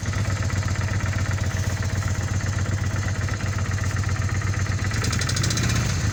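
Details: 1997 Kawasaki Vulcan 800 V-twin with 70,000 km, lumpy idle with an even mechanical knock about four times a second; source not pinned down.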